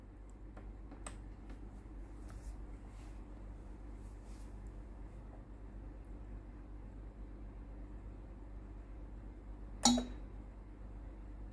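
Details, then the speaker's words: Tefal steam iron GV8950M0/23, no steam output: faint steady hum then one sharp click near the end as the water valve resets; pump then runs but pushes no water into the boiler, pump faulty. "นี้เสียงวาล์วน้ำรีเซตนะครับ"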